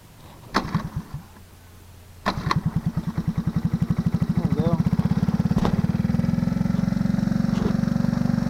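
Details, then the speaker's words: ATC 90 with 90 carb, engine likely bored out, needle set richest, constantly choked, timing advance stuck: after a few pulls catches and settles into weak uneven putter about 200 beats a minute with little backfires; lacks power. "is real doggy i mean it's a 90 but it's it's not full power i know that as you can hear it does that little back firing blah blah blah and it's hazardous"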